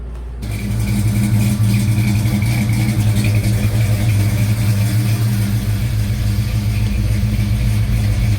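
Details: 1956 Chevy Bel Air 307 V8 on its first runs after restoration: loud, quick valve-train clatter at idle like an old diesel; the AC clutch was free-spinning and the lifters were replaced first, but the cause was mismatched valve springs and retainers.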